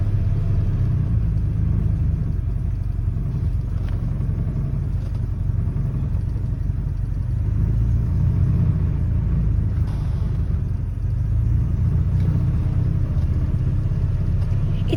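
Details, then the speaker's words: Rover P4 80 after carburettor tune, engine still a bit cold: low, steady idle rumble with no misses, smoother than before; normal idle, choke to be turned off once warm. "sounds more smooth than like them before and once it's warmed up you can turn the choke off and it idles nice and quietly once once warmed up"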